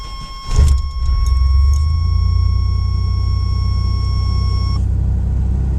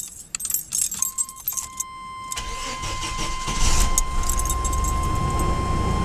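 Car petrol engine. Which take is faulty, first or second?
first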